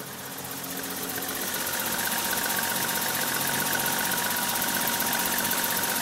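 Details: BMW E30 325i idling with a blown head gasket (compression test showed all six cylinders losing pressure equally): a steady, even ticking pulse about four per second with a faint hiss.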